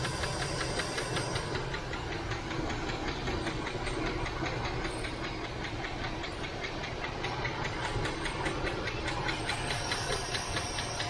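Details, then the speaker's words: 1978 Chevy El Camino SS, one owner, sitting about 20 years: a light, even tap of two or three per second over a rough idle, a lifter or rocker ticking; owner suspects a loose rocker and plans to remove the valve cover. "see if that Val uh lifter or rocker or something sounds like it's banging over here anyway I'll be back yeah it's still flicking over here guys"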